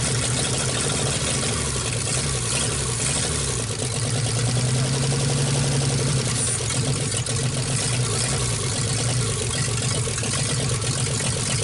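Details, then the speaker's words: 1948 Nash engine, bored 60 over, first start after head work. The idle is uneven and lumpy, wavering and stumbling as it loads up with fuel. Owner says it floods out; a carburetor kit is planned. "okay definitely Ron's runs pretty good at flooding out so we're gonna get a kit in the carburetor try to figure out"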